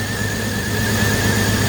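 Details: BMW X5 E53 3.0i being revived after being abandoned, coil-pack misfire test: rough, uneven idle under a steady whistle with one coil unplugged; idle changes so that coil is good, and the misfiring cylinder is number three.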